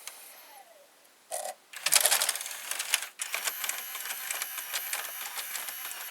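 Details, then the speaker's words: Panasonic SA-HT820V home theater VCR/5-disc DVD changer combo with five discs loaded: on power-off a short whir, clicks, then about three seconds of steady ratcheting as the disc stack drops to its default down position; normal changer reset. "Now I have the 5 disc of Lebo Malaise inserted, and if I press power, if I power off, it will go to the default position."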